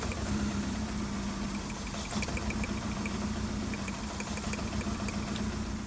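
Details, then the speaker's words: VW Golf 1.6 petrol (2003 onwards) with engine light on and misfire, idling: slightly uneven idle with faint sharp clicks as coils are lifted one at a time. Lifting one coil gave no click and no change in engine tone, showing a failed ignition coil, which is replaced. "click put it back down again the one that has no clicking that's the cylinder that's got the issue if there is no clicking it means that the ignition coil was failed"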